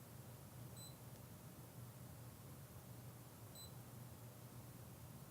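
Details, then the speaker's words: Fluke 125B ScopeMeter in recorder mode with the event threshold off, measuring temperature with a thermocouple: two short high beeps about three seconds apart over a quiet hum. Beep signals a new min/max record. "which means that now anytime there's a new minimum and maximum you'll hear a beep we'll press done and then f4 to run so you hear the beeping every time there's a new min and Max"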